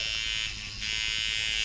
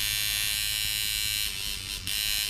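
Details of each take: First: Mojobox tattoo machine being tuned around 6-7 volts: high buzzy whirr stumbles briefly; knob turned up too far, making it choppy again. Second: Mojobox tattoo machine at 6 volts, stroke adjustment knob set by listening for pitch change: steady high buzz with firm, even hits and no rattle or stutter; correctly set stroke, normal running.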